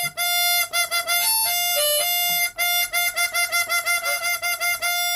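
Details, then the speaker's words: Chromatic harmonica after fitting a stiffer, trimmed two-part windsaver: clear, steady reed notes ring true on every draw with no flutter or buzz even on hard breaths; windsaver flutter fixed. "can hear that no matter what breath I draw in, it sort of fixed it."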